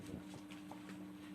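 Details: Daewoo Lanos front strut worn so badly it developed noticeable free play, car handled like a boat: loose, hollow clunks in uneven succession.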